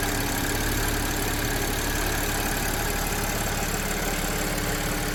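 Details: Audi A7 3.0 T at idle, running with 1 quart of Marvel Mystery Oil added to the crankcase before an oil change. Fast loose ticking rattle, about three to four beats a second; suspected worn timing chain, not confirmed.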